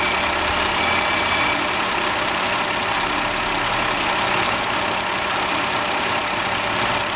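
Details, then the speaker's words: 2009 BMW 5-series idling with an uneven beat and occasional dropped pulse from a misfire; scope waveform confirms an ignition coil intermittently failing, mostly under load. "we found the coil that's intermittently acting up at mostly acts up under a load"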